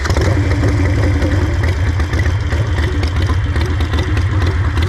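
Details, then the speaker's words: 2016 Harley Sportster 883 Iron EFI V-twin, warm, in auto-tune mode: a deep, loping idle with a steady, even beat and no knocks or misses. This follows replacement of the fuel pump, tank and O2 sensors, and the bike runs normally again. "I'm in auto tune mode right now. I'm gonna fire this up and go for a ride."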